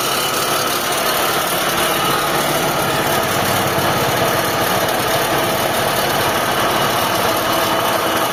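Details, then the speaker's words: Mitsubishi Lancer, 4G15 or 4G13 engine, fans unplugged, A/C off: steady gritty metallic grinding over the idle that quiets with A/C on; worn A/C compressor pulley bearing, needs bearing or whole pulley replaced. "Pero sa compressor meron pa din. Ayan oh. Eh ingay pa din sa compressor."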